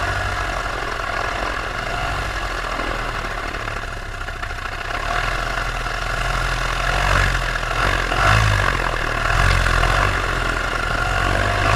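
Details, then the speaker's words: Paramotor two-stroke in flight, throttle held wide open: loud, steady high-rev drone with no surging or dropouts. This is the normal full-throttle baseline, recorded before the engine later began losing power and bogging. "And I'm keeping my throttle all the way open. You hear the RPMs, they're staying steady."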